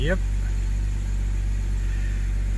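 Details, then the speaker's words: BMW 328i E90 after a three-stage intake install and engine cover replacement fixing a rough idle blamed on a bad CCV valve, hot 35.5-degree evening. Low steady hum with no dips or shudder, no check engine light; normal idle. "we can follow a little bit the idle but it's running normal now yep"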